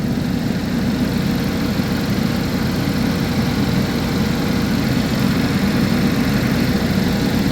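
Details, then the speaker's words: 2011 GMC Terrain with a recurring P0341 cam code despite new phaser solenoids and cam sensors, at cold idle while the cam signal is scoped: a steady, even low hum with no knocks, misses or ticks. The check engine light is on. "all right like I said she's purring we have the check engine light on"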